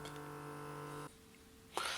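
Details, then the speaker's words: Tascam Portastudio 488 MkII cassette transport: steady motor whir about a second, then stop and sharp clatter; gears try to retract and lower the head assembly but can't because gear C is broken; three LEDs flash. "and when I removed my finger from that switch, then there was whirring again, because gears are trying to turn to retract and lower this head assembly, but it can't do it because the gear C is broken."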